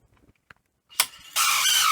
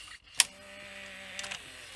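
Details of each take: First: 1985 Philips VR6462 VHS deck: harsh loud grinding with thin high squeal for about two seconds as mechanism slowly engages; stiff mechanism from hardened old grease and failed idler. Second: 1985 Philips VR6462 VHS recorder with the old idler fitted with a new tire and the old spring, reel motor cleaned: quiet steady motor hum with light clicks; idler drives smoothly without slipping, sounds much better.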